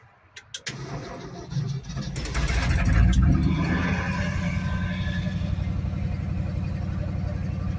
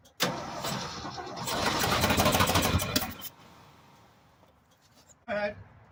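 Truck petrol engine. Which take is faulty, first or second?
second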